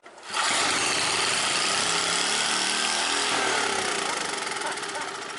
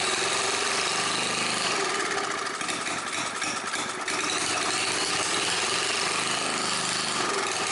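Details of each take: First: Old generator after the governor shaft was turned counterclockwise. The owner realised this changed governor sensitivity, not maximum RPM. The engine screams at a high, strained pitch, then revs drop back; over-revving. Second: Old scrapyard Briggs & Stratton generator after adding fresh gas, priming and setting the choke. Loud, steady buzzing at constant speed without dropouts or surging; the engine and carburetor work, running normally.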